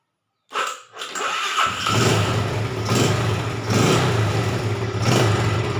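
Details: Yamaha Jupiter Z with a hard-starting, lost-ignition fault, checked after repair: short electric-starter cranking whir, then the engine catches within about a second and settles into a steady, even idle.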